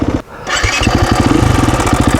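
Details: KTM single-cylinder dirt bike catching and idling with an uneven, clattery tick over the exhaust thump. The ticking is loud at startup and continues at idle. Slack timing chain from a failed aftermarket tensioner with an improperly heat-treated internal pawl.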